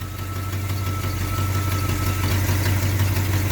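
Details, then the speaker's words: 1980 GMC truck V8 after new MSD HEI distributor install, timing about 8 degrees, idle raised from 500 to 700 rpm: deep even steady idle, no ticks or misfires; healthy. "Yeah, I forgot this thing's got the high idle on it, so I had to bump it there. 650. 700. Idling real nice right at 700 there."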